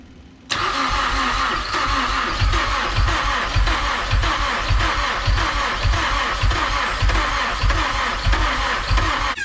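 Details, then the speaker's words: Built Mazdaspeed6 on first start attempt after a rebuilt high-pressure fuel pump install: heavy, slow starter thuds under two a second for about nine seconds, never catching, with the lights dimming while cranking. A low or weak battery is suspected. "now every every turn is a thud yes so it's a heavy thud thud it almost just sounds like the battery's low like if you were if your Jeep were to have a low battery or you left the light on"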